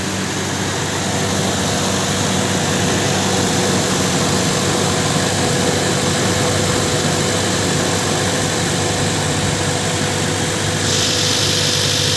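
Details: Toyota idling after a no-crank, no-start fault was fixed: steady, even idle with a constant low hum, no misses, knocks or stumbles; running smoothly.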